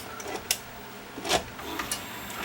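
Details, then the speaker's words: Toshiba VM42 Betamax VCR loading a tape: uneven clicks, scrapes and short whirring bursts with no steady rhythm, though it loads without jamming. A cracked loading gear slipping back and forth is the suspected cause. "I don't like the sound of that, but it's not jamming not. Okay, that's in. It's probably going to make that noise because there's a crack on that gear."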